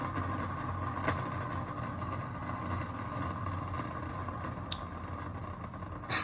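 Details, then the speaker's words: Shop vac motor running with a steady rough drone and low grumble from the motor bearings/bushings, spinning fast with low resistance as if the radial fan has come loose; no suction. "so there are two problems with this shop vac the first one is the one you just heard which is a disconcerting Grumble coming from the motor bearings the other one is that there's a no suction"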